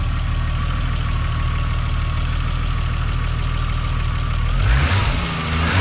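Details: Toyota Supra Mk3 7M-GE turbo-converted (NA-T), after switching from distributor to 2JZ/IS300 coils with stock 7M-GTE igniter; starts fine, steady even low idle with no misses, brief rev near the end; only issue is the NA tach not working.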